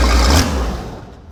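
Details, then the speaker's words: Race boat engine that idles fine but dies on any throttle: brief low rumble fading out within a second; stalls when throttle applied, owner suspects water in fuel or a bad carburetor. "So, when you start it up, it'll idle perfectly fine. But, the second you give it any throttle, it'll just die right off the bat."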